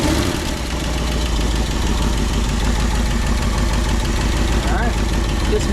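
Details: 1962 Ford Galaxie V8 that sat for decades, restarted after freeing a stuck carburetor float, with a deep, even idle burble and steady low beat, no knocks or misses; sounds healthy.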